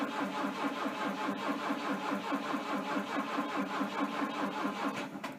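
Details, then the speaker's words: Volvo 242T cranking but not starting: a steady rapid chug at about two beats a second that never fires. Readings show warm-up enrichment 100, 14° ignition advance, 10.7 injector pulse width and 11.9 V battery; the fuel pump relay clicks and the injectors fire. "off lights all flash i can hear the fuel pump relay clicking clearly firing the injectors please help"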